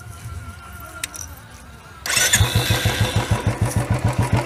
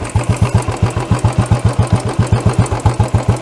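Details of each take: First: Royal Enfield BS6 single-cylinder: silence, then it fires at once and settles into an even thump about three to four per second. Starts easily and idles fine. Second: Royal Enfield BS6 single-cylinder carburettor with the mixture screw turned fully in: slow, loping idle of deep even thumps, about 220 a minute. It is running lean, with only a small amount of fuel passing.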